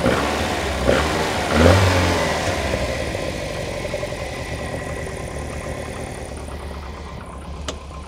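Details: Lotus Elite after timing belt change, engine somewhat cold: catches quickly, crisp blips rising and falling cleanly, settles to even idle; timing correct, sounds healthy.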